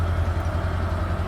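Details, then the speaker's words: Chevelle with a 350 small-block V8 that runs poorly and smokes, cold start idle. Low rumble with an uneven, stumbling beat as at least one cylinder misses. A possible rattle is also heard while warming, which the owner doubts is a knock. Misfire at idle. "missing on at least one cylinder that I know of. So we'll let this warm up and we'll get it moved up."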